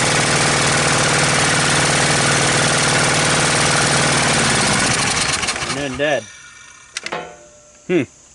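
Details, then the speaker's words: Honda GX630 engine on a trailer hot-water pressure washer that stalls at full throttle, run with vacuum gauge attached: uneven wavering drone, dies after about five seconds, then a few short failed restarts; fuel pump works, carburetor suspected. "she was teetering quite a bit there, but she was"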